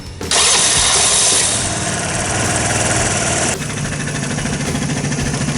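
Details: 2008 Vespa S 125, sat about a year, after carburetor cleaning with automatic choke: cranks and catches within a moment, revs briefly, then drops to a smooth, steady idle with no misfire or rattle; normal start and idle.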